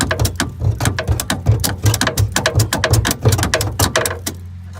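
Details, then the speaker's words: 1965 Chevrolet C10 with swapped '67 Camaro SS 350 quad-jet V8, unrun 28 years, new battery, cranking attempt: rapid sharp clicks with no cranking rhythm before a low hum; starter clicking, not engaging. Owners will probably remove starter. "Go ahead. Go ahead. All right, stop. That didn't work."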